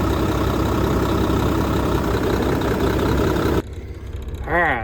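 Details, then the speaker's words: Mack truck diesel idling with a steady, even clatter for several seconds before shutting off, after a long, difficult repair; good oil pressure, sounds healthy. Earlier the cups failed and filled the engine with diesel. "that sounds good so far got good oil pressure"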